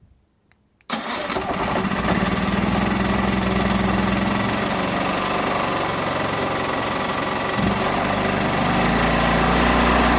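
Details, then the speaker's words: Powerhouse PH3100Ri generator, remote-started after the choke spring was doubled up to cure hard starting: silence, then it fires within a second and settles into a steady, even run with no hunting. Normal quick cold start. "Booya boys and girls that's exactly what we were looking for so now when it's cold out they don't have to get out of there"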